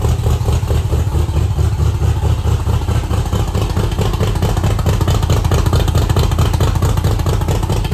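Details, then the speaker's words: Factory Five MK2 Cobra roadster, Ford V8 with Edelbrock Pro Flo 4 EFI, on first start before timing is set: deep, steady, even V8 lope with no ticks, knocks or stumbles. It runs normally. "all right I'm going to go ahead and get the timing set so it's been running for a while uh still running as you can obviously hear"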